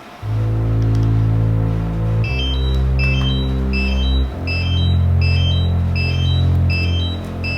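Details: New DJI Mavic Air remote controller, before first flight, won't turn off: quick high chirps about four times a second that never stop, over background music; continuous fault beeping, cause unknown.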